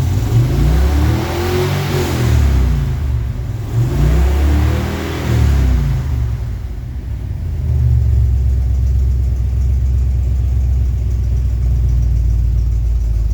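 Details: Second test run after the belt work: the engine revs up and settles back to a smooth idle with no chirp or squeal from the V-belt at any speed; normal belt, no squeal.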